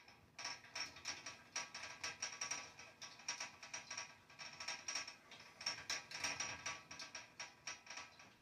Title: Broiler heater banging noise.. WTF ,😧😦😨 what's wrong with this broiler heater.???